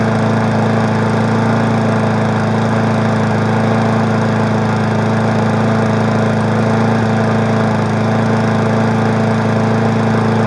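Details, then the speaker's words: Weed Eater 20-inch mower single-cylinder engine, revived after storage, somewhat smoky: steady, even drone at constant speed with no surging or shaking; running healthy. "Well, the two easy ones are woken up. I'm gonna tell you the truth, this one doesn't shake."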